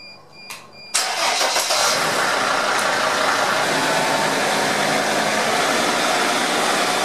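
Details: Sprinter T1N diesel van with P0299 turbo underboost codes. It is quiet for about a second, then catches cleanly and settles into an even, steady diesel idle: a normal start.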